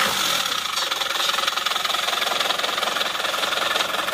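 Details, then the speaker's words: Isuzu Panther diesel at idle: uneven, lumpy running with a loping knock and thick exhaust smoke. Loosening the injectors one at a time showed cylinder 4 has no power, a dead cylinder from low injector pressure. "jadi ini pincang mesinnya pincang ada satu silinder yang tidak imbang"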